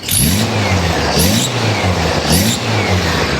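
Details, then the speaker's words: Stock VW 1600cc N.O.S. Mexican Beetle engine with hydraulic lifters and a new supercharger, on a stand after the first 10-minute cam break-in, still hot: three quick throttle blips, revs rise and fall cleanly with no misses, knocks or rattles; crisp and healthy. "First initial 10 minutes in the books. Listen to this little 1600."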